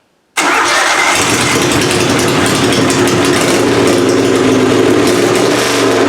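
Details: Methanol-fueled pulling engine "Plan B", first start of the season after an annealed head gasket install and timing adjustment: silence, then fires at once into a loud, even, steady run with no misses or knocks; head gasket seems sealed, carburetor still needs tweaking; normal start and idle.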